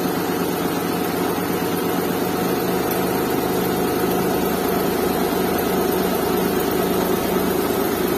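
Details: Restored Suzuki Mehran with a WagonR K6A 660cc three-cylinder and 3-speed automatic, vibration test with a glass of water on it; steady even idle, smooth low hum, no knocks or stumbles, little vibration.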